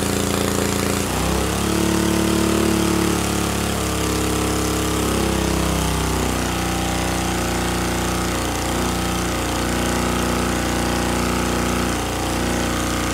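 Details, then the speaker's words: See-through small single-cylinder engine with turbo and EFI on 87 octane regular gas, dyno run at full throttle under load: rapid, steady firing climbing and holding even; made 4.6 hp, strong and clean. "That's 4.6 horsepower, and that was pretty awesome."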